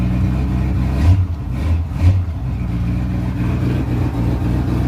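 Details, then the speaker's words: Ford Ranger with a non-original engine, still running some old gas, revving: lumpy, uneven rumble that surges and sags, a hose shaking hard; owner suspects a mild cam and possible flooding, not confirmed. "Now, I'm not 100% sure, but I think this thing does have a mild cam in it. Might be flooding out right now."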